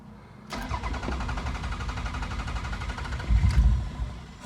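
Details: Toyota Celica GT-Six that had been running poorly and needing long cranking, after securing the fuel pump and fitting a fuel pressure regulator: brief crank catches quickly into a steady, even idle; starts normally, air-fuel readings now near 14.7.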